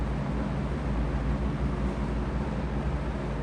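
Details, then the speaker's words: McGraw Edison Comfort Fan owned since 2007, previously restored, with a slipping hub and wobble, running on low outdoors in wind: no rattle, but a slight, steady motor hum under the airflow; cause not confirmed. "Didn't rattle. But can you hear that slight hum?"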